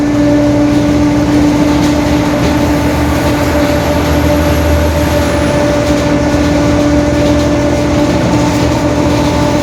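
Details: 2021 Marcopolo Torino S bus on Mercedes-Benz OF-1721 BlueTec 5 chassis, onboard while cruising: steady even-pitched hum over driveline rumble; growling rear differential.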